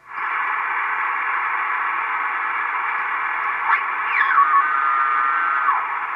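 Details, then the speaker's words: Estate-sale Icom IC-720A HF transceiver, first power-up before restoration: on 20 meters steady band-limited hiss with a whistle sliding and holding as the dial crosses a signal, weak but receiving; receiver working normally. "not great but she's like we hear something humph looks like I'm bumping my camera so it looks like 20 meters at least is receiving so great"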